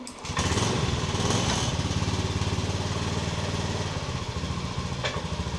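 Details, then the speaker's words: 2018 Honda Beat eSP scooter, about 9 years without fuel filter service, idling after fuel filter/seal change: quick light ticking tracking engine speed; owner says valve clearance has become loose and needs adjusting. "Nah, ini klepnya udah mulai logor. Bukan kena ya, tapi logor."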